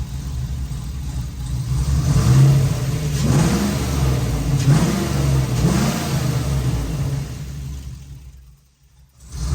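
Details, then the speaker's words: Dad's Jeep back from tuner, fuel pressure low (about 50 vs 60 expected), gauge fluctuating sporadically; revs climb and fall unevenly in ragged, hesitant blips, still running rough; fuel problem suspected, not confirmed. "Still isn't running very good though."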